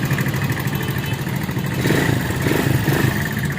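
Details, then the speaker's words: Viar VSR 200 motorcycle after engine work at two workshops: uneven lumpy idle with coarse mechanical clatter, rough running attributed to wrong valve timing; oil also not circulating, blamed on a blocked oil cooler passage. "Iya ini habis dari bengkel udah dua bengkel Bang Ya udah bengkel mesinnya jadi bunyi gini ya udah habis Time kita setengah suaranya kecil banget"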